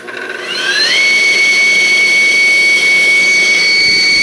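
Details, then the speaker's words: 3 hp regenerative blower for an industrial vacuum system: steady, piercing high whistle rises fast at spin-up then holds even, the many-stage intake whistle drowning the motor; normal running. "another cool thing I think about these is the sound they make it's got a pretty high frequency owing to the great number of stages that the air is going through"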